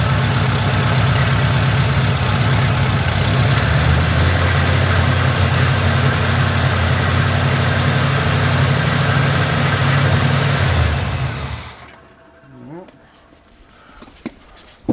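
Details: Oldsmobile Cutlass with Quadrajet-carbureted Rocket 350 V8, restarted after carburetor work. Deep, loping, unevenly pulsing idle for about eleven seconds before shutdown; an intake vacuum leak is still present.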